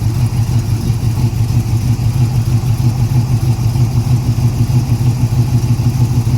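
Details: 1981 Cutlass with a 403, first start in two years, quarter tank of fuel, fuel pump slow to pick up: loud, lumpy low rumble with an uneven pulse about three times a second; barely running, suspected fuel starvation.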